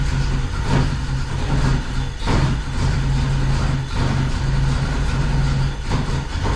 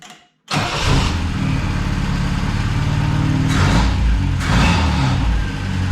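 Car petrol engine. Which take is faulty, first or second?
first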